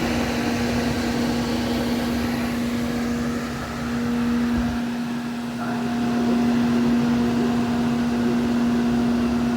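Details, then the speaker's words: Felder H10 CNC router at daily startup running its axis warm-up program: steady clean motor hum rising slightly in pitch as the machine makes multiple passes, faster each time, to heat up the motors; normal warm-up before milling the spoil board. "and it's going to do this multiple passes and get faster and faster until it's heated up and ready to go for the day"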